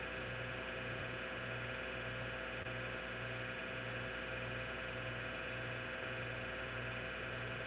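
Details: Hard drive in a vintage IBM PC/AT damaged in shipping. A constant whirring drone with a soft low throb pulsing about twice a second; the spindle motor and bearings run loud and drown out the head movements.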